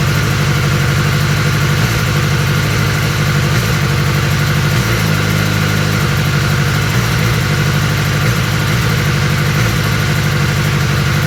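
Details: 2021 BMW S1000R at idle: loud steady idle whose beat stumbles now and then with brief drops in firing rhythm; misfire, cause unknown.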